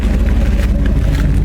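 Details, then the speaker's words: 1968 Ford F250 with a 390 FE V8 after a Pertronix Ignitor install replacing the points, timing slightly advanced for mountain altitude: a deep, even idle around 650 rpm, steady pulses, no misfire or tick. Normal, healthy idle. "This is the way it's supposed to sound. Where's my RPMs at? Yeah, around 650. Okay, good."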